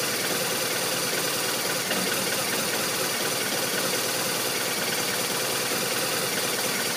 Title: RT1200RT Rough Idle